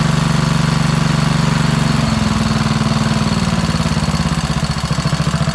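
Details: Craftsman LT2000 lawn tractor repowered with a Kohler Courage single-cylinder, after epoxy repair of a cracked crankcase: a fast idle with light, regular ticking on top, heard as lifter noise; an oil drip is still seen. Valve-train cause suspected, not confirmed.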